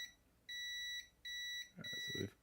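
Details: Neo Geo board repair: three clean high-pitched beeps, each about half a second, from the meter's continuity test on a pad/via; the trace conducts and the connection is good.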